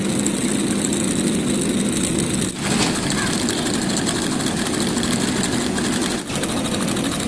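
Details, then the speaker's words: Homemade solenoid engine with copper-wire-wound cylinder, relay and propeller on the crankshaft, powered by a 12 V LiPo battery: fast, unbroken buzzing clatter with a steady propeller rush and only brief dips; running evenly, normal. "അപ്പം എൻജിനും ബാറ്ററിയായിട്ട് നമുക്ക് connection കൊടുക്കാം. അതിനുശേഷം നമുക്ക് എൻജിനൊന്ന് start ചെയ്യാം."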